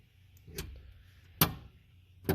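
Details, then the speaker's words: 1948 Peugeot 202, first start attempt with choke out after arrival on tow truck: three lone dry clicks about a second apart, no cranking; battery dead, fixed by hooking up a battery. "yeah battery's dead let's fix that got to hook up the battery that's the problem"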